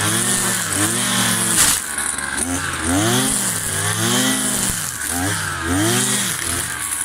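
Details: New Kawasaki TJ53E two-stroke brush cutter cutting grass: a high-pitched buzz dips as the head bites and recovers quickly each time. It runs cleanly under load.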